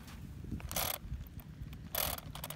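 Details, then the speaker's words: Traxxas Slash 4x4 RC truck with new Proline Slingshot paddle tires in dune sand; short ratchety grinding bursts over a low whirr as the wheel spins, gear slipping and rear drive lost, diff suspected but cause unclear. "uh oh guys we got an issue we're getting some type of gear issue of some sort i think you guys can probably hear that"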